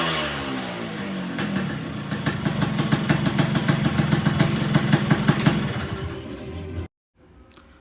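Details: Suzuki Satria 2-stroke (Lumba) mid-restoration, about 70% done, engine newly running with stock exhaust installed: crisp crackle rising and settling with throttle, even clean firing before cut-off. Engine runs smoothly.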